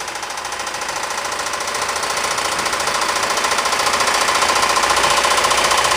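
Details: Ford 2.3L engine in a Ford Escape/Mazda Tribute with a badly worn #2 rod bearing, leaving a step on the crankshaft journal. Loud, sharp metallic knocking at about 3–4 blows a second grows louder as revs rise.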